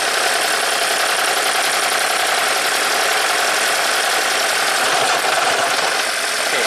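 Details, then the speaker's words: 2010 Toyota Prius after a DIY head gasket job, code P0304: rough, stumbling, lumpy idle; cylinder 2 coil gives no spark, cylinder 3 not contributing with a clean, wet plug, cylinder 4 okay. "4, I think it's contributing. 3, not contributing. 2, no spark at all. Okay, so I think 2 and 3 are misfiring, 4 is okay."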